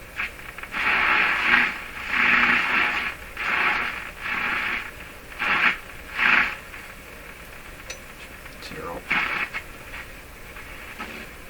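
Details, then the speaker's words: Hallicrafters S-40A shortwave tube receiver on band four, while checking 6F6 output tube bias: bursts of hissy static about once a second fading into steady hiss. Interference in the shop. "best bet well that that's good that's interference in my shop I'm commonly hear it right in the right spot"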